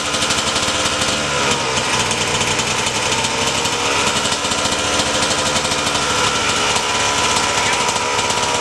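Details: RM125 two-stroke dirt bike just after a new 21" tire install, kick-started (it usually starts on the first or second kick). Loud, crisp two-stroke buzz that holds steady and even with no stumbling or knocking. Normal running.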